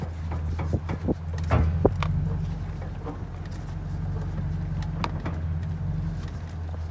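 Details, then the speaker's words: 2nd-gen Toyota Tundra, heard at the steering rack and pinion: sharp single pops at irregular intervals over idle as the wheel turns, louder in drive or reverse; worn rack and pinion bushing. "this is actually the part that's making the sound right here dragon pinion the steering rack and pinion"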